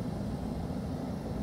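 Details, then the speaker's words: Dayton 3VE52D 210,000 BTU kerosene torpedo heater, outdoors after cleaning the air pump, blowing out lines and hand sanding: steady even low roar, no sputter or surging, burner lit and running cleanly. "so let's go ahead and pull that trigger she's burning"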